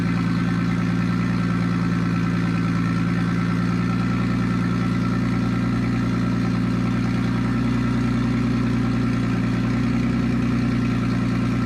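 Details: Nissan Stagea RB25DET on first start after a new turbo with braided oil and water lines, airflow meter unplugged, no dump pipe: loud, raw, steady idle with a deep even drone and turbo hiss, no knocks; normal idle, just very loud.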